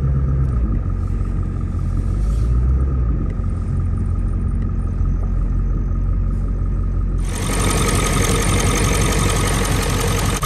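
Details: Big V8 diesel cold start on a cold morning, likely the owner's running reference truck for comparison with a rough-running 7.3L Powerstroke F550: deep, even rumble with a steady beat and no misses or knocks. Healthy idle.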